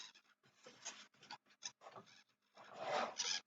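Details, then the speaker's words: RC foam airplane servo on the other, rougher-shaped wing: short buzzy whirring bursts starting and stopping cleanly, no grinding, stalling or chatter; servo works all right, normal operation. "sounds like that servo works all right. Sounds like that servo works all right."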